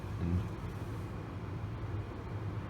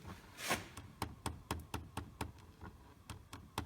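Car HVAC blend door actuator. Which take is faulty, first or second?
second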